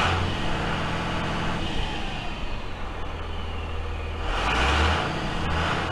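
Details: Freightliner FL70 diesel truck with new Donaldson 4-inch exhaust, light throttle: deep, even drone swells smoothly with turbo whistle rising on top; engine healthy.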